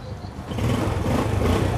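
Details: Used Yamaha Sirius small single, heard close up. A short, soft, even low putter with no ticking or rattles: a smooth, healthy normal idle.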